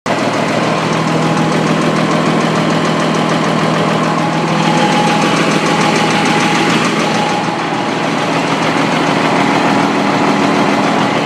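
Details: M35A2 Deuce truck diesel at idle: loud clatter with an irregular knock of roughly three per second underneath; a real knock, cause unclear.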